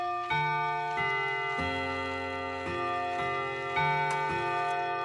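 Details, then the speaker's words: 1979 Trend Clock Co. wall clock, Hermle 351-030 movement, after restoration, half-hour chime set off via the silencing lever: clear, evenly spaced gong notes struck cleanly, so the hammers are properly spaced and the chime works normally. "Okay, half hour. Looks like those hammers are properly spaced, and we'll check the hour chime as well."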